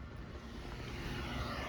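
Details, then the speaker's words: Propex HS2000 propane heater after one-flash fault, fixed by reconnecting the propane line and resetting, running about an hour: even, steady fan roar with a smooth burner rush, no surging or clicking; heater running normally. "And now we have hot air coming out. All right, the heater's been running for about an hour."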